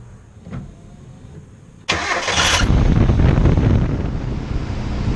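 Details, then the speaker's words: Engine after replacing a whining accessory-drive pulley with worn bearing: cranks, catches and settles into an even idle with no whine from the belt side; accessory drive now quiet. "it looks like we got it fixed sounds pretty quiet to me"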